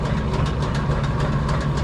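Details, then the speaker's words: Motorhome rear axle differential drones loudly; rear axle jacked with one wheel lifted, no limited-slip, throttle applied: steady low droning howl with rough churning edge, heavy runout and vibration; mechanics say bearing, possibly a broken cage. "Ребята говорят, в общем, что подшипник, слава богу. Там, сам посмотри, биение, че бешеное."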